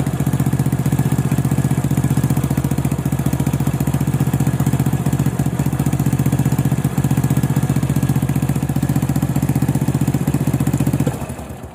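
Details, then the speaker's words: Honda Supra motorcycle after replacing the worn cam chain, tensioner reused, valves set at 0.05 mm: small single-cylinder engine idles with an even, steady low putter, earlier rattle and tick gone. "setelah dilakukan pergantian rantai keteng kita akan cek suaranya u ya suara berisik sudah hilang ya"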